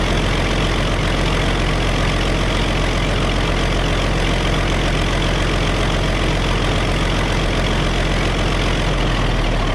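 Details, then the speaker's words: Early Case 930 diesel tractor, believed a 1960 model, first start in about 14 years: deep, steady idle with an even rumble, not missing on a cylinder, only an occasional slight miss; normal diesel idle. "That's idle speed right there. We're not missing on a cylinder. I think this thing's gonna be okay."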